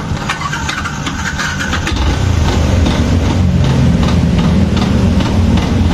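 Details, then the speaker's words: Yamaha Jupiter MX King, throttle blipped at partial opening after starting: rough, uneven dragging rattle growing louder with throttle, along with a rough starter; starter one-way clutch failure. "Nah ya Nih teman-teman nih ini menurut analisa pertama nih kalau misalkan menjumpai suara double staternya kasar putaran dinamonya kasar ya dibarengi mesinnya berisik"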